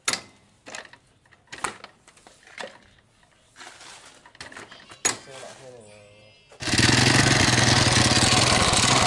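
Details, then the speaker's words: 2006 Yamaha Vega R New engine, very rough and loud with hard, catching kickstarter; scattered knocks then a loud harsh uneven rattle under load, worn engine bearings, connecting rod suspected before teardown. "Oke ini mesinnya udah sangat gembrot ya Bagi Ndalem trus juga engkolnya susah ada yang kau seperti tadi susah nyangkut"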